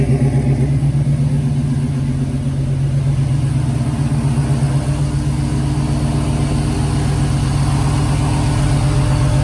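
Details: 1970 Dodge Challenger with swapped 5.7 Gen 3 Hemi V8 on Holley Terminator X, long-tube headers, Flowmaster mufflers, first start: deep, even burble idling on its own with good oil pressure, no misses or ticks.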